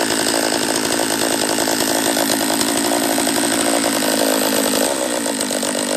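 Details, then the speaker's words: Refurbished Husqvarna 44 chainsaw on its third heat cycle after reassembly, carb leaned an eighth turn: loud, raspy running held at speed that wavers and never settles cleanly. It won't tune out; owner suspects a lower-end vacuum leak. "all right so it's not running right um if i can't get it to tune out on this third heat cycle i'm just gonna shut her down"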